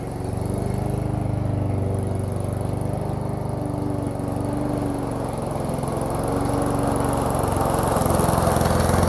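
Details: Toro lawn mower single-cylinder engine on cold start after priming and backfiring: runs steadily at a fast, even beat with slight speed wander; normal running once started.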